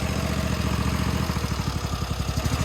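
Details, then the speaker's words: Toro TimeCutter 42-inch zero-turn mower, twin engine; with key switched off idle changes from smooth twin beat to lumpy spaced pulse as one side drops; run-on because key-off grounds one ignition coil but not the other. "So it's grounding out one coil but not the other when you turn the key off."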